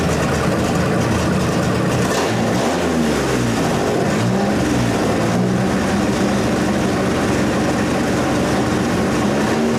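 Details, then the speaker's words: 1927 Hudson revived after seven years sitting, idle being backed off, points about to be set; engine runs on its own with a steady, even beat and gentle speed rises, no misses or knocks, running healthy. "I'm gonna set the points kind of dolls car birds in a little maybe but it lives it is alive wonderful"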